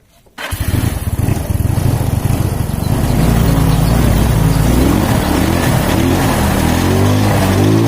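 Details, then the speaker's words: Yamaha Mio scooter after replacing the cam chain tensioner, reassembled with old gaskets plus sealant: engine catches and settles into a steady, smooth idle with no ticking or knocking from the top end; normal running. "Oke sahabat semua, jadi seperti yang kita lihat ya, ini mesinnya tetap halus dan tidak ada suara gelitik kelotok pada bagian mesinnya ya."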